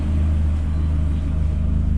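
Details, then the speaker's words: Astra H VXR after K04 turbo core replacement with a billet hybrid core, warm steady idle with no whistles, rattles or grinding, turbo spinning freely, no leaks and no smoke at idle. "there's no worrying noises or anything like that sounds like the turbo spinning freely"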